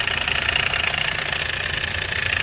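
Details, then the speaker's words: Hyundai Starex D4CB diesel at idle: busy metallic rattle over the diesel clatter from a slack timing chain, loose because its chain guide broke at top and bottom; engine also smoking. "Kaya po pag umandar ito maingay ang kanyang andar."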